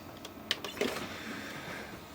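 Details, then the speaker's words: Original Xbox with an intermittent DVD drive that knocks more than it plays: a few sharp clicks and a short whirring spin-up, then quiet, failing to read the disc. The owner plans to service the drive. "so it's kind of intermittent on this one where the the drive will play and then uh and it seems like more knock than play yep"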